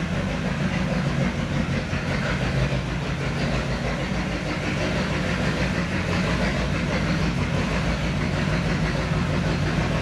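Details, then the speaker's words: 1970 Chevy C10 pickup, 327 small block, HEI distributor, hard starting: deep, uneven V8 rumble with a lumpy, unsteady beat, stinky and noisy; rough running from badly set ignition timing. "shut it off for the love of God D stinky and noisy runs like [Music] [Music] crap"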